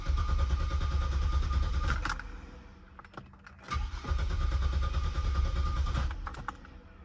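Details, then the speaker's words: 2000 Cadillac Catera: two bursts of steady, even cranking at about three turns a second, but the engine never catches and no fuel pump priming is heard; no check engine light or codes, owner suspects the fuel pump. "So, put the key in, turn the key, and one thing you don't hear is the fuel pump priming when I go to start"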